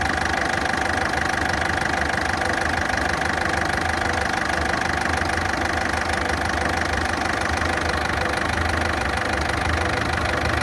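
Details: Ford Fiesta; steady fast tick about three per second over a loud, coarse idle; engine ticking and harsh, raised engine noise, cause unknown.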